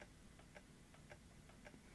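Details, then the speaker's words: Canon UC-X10 camcorder powered with 6.1 V at the battery terminals, with a tape stuck inside; pressing eject gives repeated double clicks as the mechanism fails to move. The current limit was raised and it still failed. "it's stopped now try eject one more time this makes a clicking noise"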